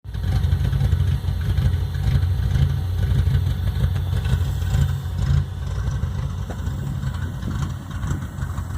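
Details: Engine with new exhaust at idle: deep lumpy idle pulsing unevenly about twice a second with droning exhaust buzz like a grungy btec Honda; cam chop or misfire, cause not confirmed.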